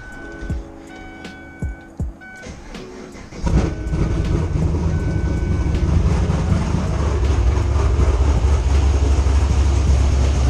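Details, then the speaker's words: 2010 Camaro SS V8 (BTR Stage 4 cam, cold air intake, long tube headers, Borla Atak axle-backs) starting to loud choppy idle with sharp puffing tick from leaking exhaust header; header bolts to be replaced. "so yeah the exhaust leak is back there but anyways as you guys can see uh yeah yeah we're gonna take these bolts out and figure out what's up"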